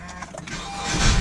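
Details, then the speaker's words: 2014 Honda Accord 4-cylinder, restart after starter motor replacement (old one clicked and clanked): brief quiet crank swells smoothly into the engine catching, no clicking or grinding; starter engages cleanly. "And we can hear that starter kicking nice and smooth. That's it, the job is well done."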